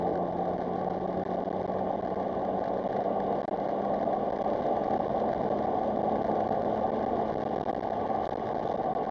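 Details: Engine on a gentle drive testing for misfire after repairs for badly corroded coil packs: a smooth, even hum with no stumbles or skips over several seconds, running clean with no misfire.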